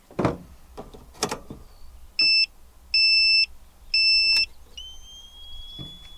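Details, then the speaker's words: ALFFAA 1500 W inverter powering a Wagner Furno 500 heat gun, with a heater running as a resistive load: three high beeps then a sliding tone as the inverter shuts down. Owner suspects the heat gun's pulse-mode supply. "there's something about that little pulse mode supply in there. It just causes this thing to Nope, it just does not like running that heat gun."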